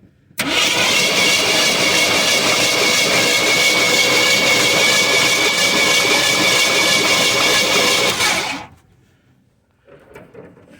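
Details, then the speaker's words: 1973 Ford F-250 unstarted for 18 years, cranking for a spark test: steady fast cranking about 3.5 beats a second for eight seconds, never catches; no spark at the plug though points spark, owner suspects plug or wire. "all right now i'm not getting any spark on that spark plug but uh i do see spark at the points"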